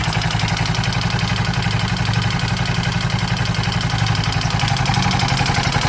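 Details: KTM 640 LC4 single idling with a steady, hard knock about four per second clattering over the exhaust beat; engine knock, owner unsure whether top end or bottom end.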